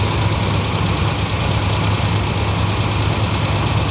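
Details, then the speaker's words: 1970–71 Cadillac convertible V8 after sitting about 20 years, started on an electric fuel pump: smooth, steady low rumble with no misses, knocks or ticks; idling cleanly and healthy. "Yeah, it sounds healthy. Real healthy. >> Yeah, it sounds real good."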